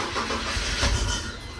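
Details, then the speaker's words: 2003 BMW 325xi (E46), fuel pump fuse removed to depressurize before an injector replacement: the engine catches with a quick burst, runs a moment, then dies. Stall from fuel starvation, as intended. "Barely had any fuel in there. That's what should happen. It should go like that."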